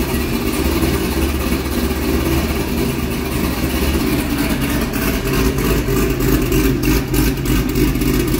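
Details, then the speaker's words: C6 Corvette V8 after an aggressive camshaft and long-tube header install, running the old tune: choppy, hunting idle with uneven beats that never settles; undrivable, it stalls. Rough idle from an engine tune mismatched to the cam. "It's really not that happy. It just died again. I'm going to call it. It's just running too crappy."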